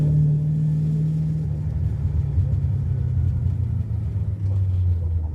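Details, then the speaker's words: 1982 Ford Mustang GT, rebuilt 310 cubic inch (302 bored 60 over) V8, new straight-through mufflers, no tailpipes, exhaust leak present: heavy low booming in-cabin drone while driving, seemingly worse than before. "Pretty sure I somehow made it worse. I really thought these straightthrough mufflers would change the tone and the pitch a a little bit higher, a little bit less base and just make it a little bit more tolerable inside."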